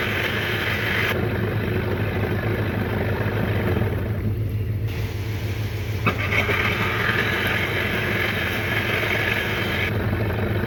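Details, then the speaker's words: 1993 Johnson 15 hp two-stroke outboard after carburetor cleaning: loud busy drone that holds strong and follows the throttle without stumbling or cutting out; runs well after the repair. "hey you see this motor runs really good now i have the car clean you can really ask much better than that"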